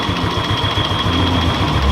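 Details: Suzuki Skywave scooter that had total ignition loss, after electrical repair, regulator checked and charging now normal: steady, even single-cylinder idle with no misses, stumbling or knocking; normal idle.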